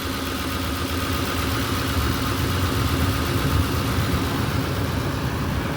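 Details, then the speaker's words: Ford Expedition at steady even idle, no knocks or misses and no overheating, with the cooling fan kicking in and rushing constantly on top; fan running normally. "But yeah, what I gotta do is, man, I heard the fan kick in."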